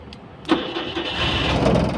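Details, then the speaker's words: Multicab with the faulty ignition switch exposed for testing (it had been intermittent and slow to start): the small petrol engine starts almost instantly on the key and settles into a steady idle. "andar agad oh. Dito yan nagkaproblema oh. Sa butas na yan."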